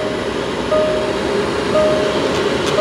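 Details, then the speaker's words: 2011 Range Rover front AC blower running on high; strong, even rush of air with no rubbing or ticking; the controller works and the blower runs properly again. "we just hit this AC turn it on oh we have air can you hear that so the controller works"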